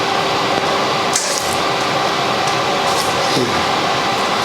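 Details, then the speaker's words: Everlast 253DPi pulse MIG welder just switched on: constant airy rush with a steady mid-pitched hum; its cooling fan has no fan-on-demand feature and always runs at full speed, normal. "the machine works. Cooling is assured. On this model there's no fan on demand feature, so the fan is always on maximum capacity."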